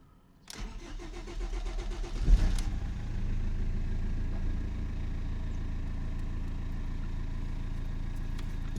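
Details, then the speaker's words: BMW 320td diesel after low pressure fuel pump replacement (limp mode, low fuel pressure logged; fix uncertain): starter churns nearly two seconds before the engine catches with a flare, then settles to steady idle; hesitant start. "It hesitated for a bit there, but seems okay."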